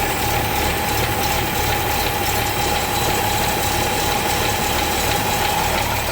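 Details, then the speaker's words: Toyota FJ40 Land Cruiser that sat for a while, just started with the choke linkage stuck on: a steady raised idle with an even hum and a thin whistle; a fast idle with the choke on. "It's alive! Choke's still on. I'm going to ease it off now."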